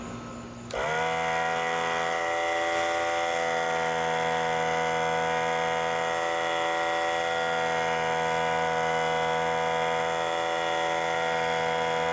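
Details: Central Pneumatic 95275 oil-less 3-gallon 100 PSI pancake compressor after fitting two new 2.5 mm seals: motor starts with a jump, settles into a constant even buzzing drone, pumping properly and shutting itself off at pressure.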